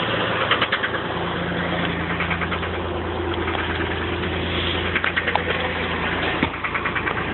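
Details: 1985 Chevy Camaro Berlinetta at idle: a steady idle broken by short, irregular bursts of sharp knocking that come and go; the knock is intermittent and its cause is unknown.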